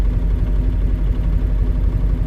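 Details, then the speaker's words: CAT 317 D2 wheeled excavator, four-cylinder diesel, smoking and shaking: deep, uneven idle with lumpy, rocking beat; cutting out injector number four stops the smoke, so that injector is faulty, possibly a damaged nozzle tip. "see if all the injector is running or working the engine is smoking but when I cut it out the number four smoke is gone that means this injector number four is either uh damage the nozle tip"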